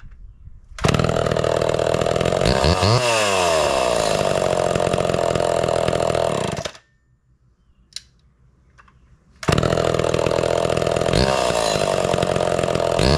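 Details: Homelite Super XL (Big Red) chainsaw with new chain and chrome new-old-stock muffler: runs strong with crisp even crackle, revs cleanly, shuts off and restarts easily; healthy running.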